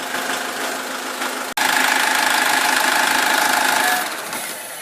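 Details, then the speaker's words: 2009 SsangYong Kyron restyling diesel, hot engine idling on flushing oil during an oil change: steady, even clatter with no stumbles or odd knocks; smooth, quiet, healthy normal idle. "Вообще идеально работает. Ни черта не слышно. Так аккуратненько работает. Ровненько, мягенько."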